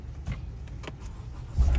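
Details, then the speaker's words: Honda CR-V push-button start, after programming new key fob: a few light clicks, then low rumble as engine fires and starts cleanly on first key; normal engine start. "try the first key it works it's started"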